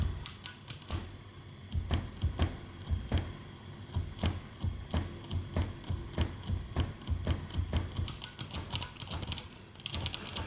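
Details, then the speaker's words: 1974 Harman Kardon 730 Twin receiver after switch cleaning: sharp pops and crackles in uneven bursts as one front-panel switch is worked; dirty switch contacts remain. "I closed it down, and then I noticed that this switch make a problem."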